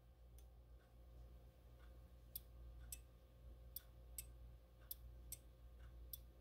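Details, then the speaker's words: Heating thermostat for a raised garden bed greenhouse, dial 50–70 degrees, rated 18 A at 277 VAC or 22 A at 125/250 VAC: sharp light uneven clicks over low hum as cam pushes the thermal metal; normal switch clicking. "hear that clicking what's going on is the way this metal is designed it has a cam right here that's gonna it's machined in such a way that it pushes this metal"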